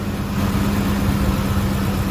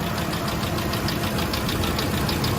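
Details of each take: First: 2005 Ford F-150 5.4L 3-valve Triton V8 after replacing the roller followers following noise despite a timing job 20,000 miles earlier: even, quiet idle with a steady hum and no ticking in the valvetrain on either bank; normal healthy idle. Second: 2005 Ford F-150 5.4L 3-valve Triton, timing job reportedly done 20,000 miles earlier: crisp, even top-end tick about three times a second at steady idle, from lash at a failed roller follower; taps constantly from cold to hot and only replacement fixes it.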